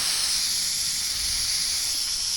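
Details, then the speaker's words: Home AC line set running to the outdoor unit: steady sharp hiss with no rhythm. Refrigerant leaking from a spot at the bottom of the line where insulation was lost. "I found it. Way down here, this line set runs here all the way to this unit. Literally see it blowing."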